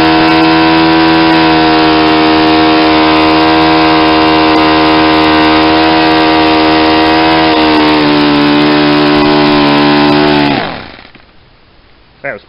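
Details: Saito 50 four-stroke on its first run after a rebuild (new ring, new bearings), warm, APC 11x7 prop, Omega 10% fuel. A steady high drone climbs in pitch as the needle is leaned toward peak RPM, then cuts out as the tank runs dry.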